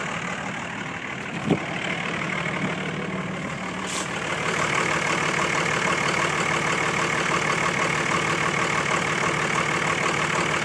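Diesel idle with a knocking beat of about three per second that stays uneven and lumpy; rough idle, cause not evident.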